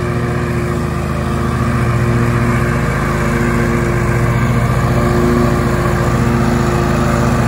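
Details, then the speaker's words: 20-year-old John Deere L120 riding lawn mower with sharpened blades, at full throttle with blades cutting: steady drone holding pitch, no misses or surging; normal running under load. "I don't know if you can hear me but this engine still runs pretty smooth okay I'm gonna go ahead and get it full throttle"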